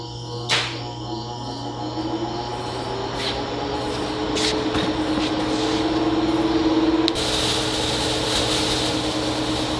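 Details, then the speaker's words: DIY shop fan built from a recycled HVAC squirrel-cage blower with a quarter-horsepower motor, on its test run with the damper beam all the way up (low setting): a steady, even hum with a smooth airy rush and no rattles or scraping, running properly. "as you can hear it is working right now with the damper beam all the way up it's considered on the low setting"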